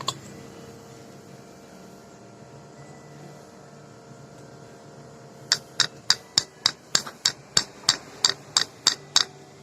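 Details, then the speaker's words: Honda CBR150 engine, standard bore, stripped for inspection: about thirteen sharp metallic clacks, roughly three a second, as the very loose piston is rocked in the worn bore; needs piston replacement and oversize rebore to 50. "Sekarang kita tes bunyinya nih. Ada suara, ada getaran."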